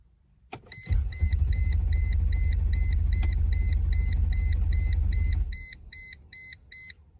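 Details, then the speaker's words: 2002 Mercedes-Benz E320 W210, before repair: the starter spins the engine steadily at about three turns a second for four seconds with a warning chime, but it never fires. Crank, no start; the owner suspects the crankshaft position sensor. "so I'm having issues starting the vehicle I believe it's the crankshaft position sensor"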